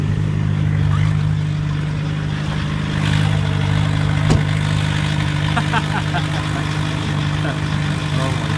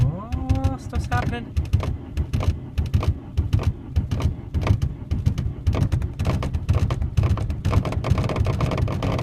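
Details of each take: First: 1991 VW Jetta turbo diesel, cylinder head retorqued after 1000 km, new battery and starter, after a difficult cold start; revved slightly so alternator kicks in: smooth, even idle, steady low drone, no knocks or misses; normal idle. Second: 1991 VW Jetta turbo diesel with anti-gel added to the fuel line: long starter cranking with rapid, uneven chugging and brief catches that die once the key is released, so it is very difficult to start.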